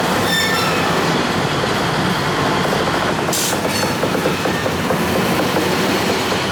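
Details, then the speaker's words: 1953 GE 80-ton long-frame diesel locomotive, last run 1998 by the Navy, just revived: heavy steady roar with wheel squeal and rail clatter pulling away under power; loads and moves normally. Air throttle has dead spots, likely loose wiring. "Well, I say the mission is successful. Goes forward and reverse now. Loads up."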